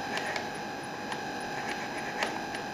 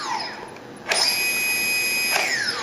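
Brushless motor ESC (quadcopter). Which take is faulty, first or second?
first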